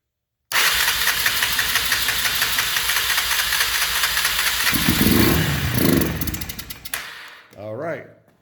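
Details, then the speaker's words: 1991 Honda 300 Fourtrax 4x4 ATV, sitting a year or more, first start: fires on starting fluid squirted in with throttle held open, revs raggedly about four seconds then sags and dies; runs only on fluid, won't keep running. "did you hear it i hope you did because it does run"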